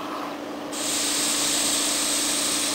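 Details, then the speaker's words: Removed EVAP purge solenoid from a 2.0L Ecotec LNF engine, blown through by mouth: steady airy hiss passes straight through when it should hold pressure; solenoid leaking when closed, bad, replaced. "can hear that it's it's blowing air directly through the purge solenoid itself it doesn't take very much of a leak at all for this to go bad"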